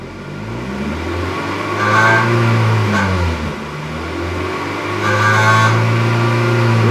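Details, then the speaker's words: 1997 Acura Integra GSR, free revs: buzzy metallic rattle from about 3,000 to 3,500 rpm, from the loose exhaust joint between catalytic converter and header; fixed with new flange gasket and welding. "there soon as it passes 3,000 rpms you can hear it"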